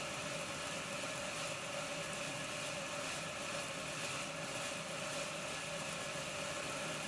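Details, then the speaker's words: Accurascale Deltic model locomotive with a DCC decoder swapped in, running at speed: steady thin whine with fizzy brush noise and an even pitch that never picks up; the motor is struggling and erratic. "nning speed listen to it rubbish that motor is all over the place so my next job sounds awful"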